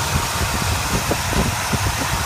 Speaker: this is how it idles now that it has the header exhaust leak sealed up. New spark plugs, tuned carburetor, a working kickdown cable, and it has now been shiny.